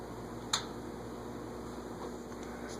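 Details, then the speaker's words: GE 20-inch plastic-blade box fan set to speed five: a quiet, steady electrical hum with no moving-air whoosh; the motor is energised but the dirty blade does not turn. "one of these days i'll clean it up maybe hear it humming but it's not moving"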